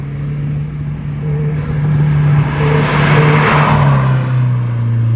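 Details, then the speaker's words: Subaru WRX with Tomei exhaust manifold, back on stock coil packs with regapped plugs, new MAF sensor, DW300 fuel pump and 40-micron inline filter: strong, smooth pull, steady note climbing under boost, no stumble; power loss fixed. Owner suspects aftermarket coil packs needed a tune. "Oh my God, I'm loving it. I'm loving it. Subaru is back. Happy. God damn, it sounds good."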